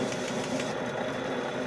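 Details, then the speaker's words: 1940 Globe A4020 Model 75 meat slicer running during knife polishing: faint light tick about four times a second over the motor hum, once per blade turn; something stuck on the knife, possibly a speck of paint. "You can hear that little tick. That would indicate to me that there's like a little nick of something on the blade."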